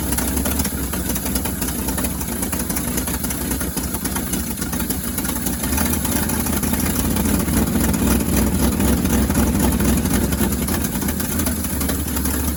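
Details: 1963 International Harvester Loadstar 1800 truck, first start in 20+ years, carburettor fed by a hooked-up pump: low, steady idle rumble with an even beat, no knocking; oil pressure gauge not reading; normal idle.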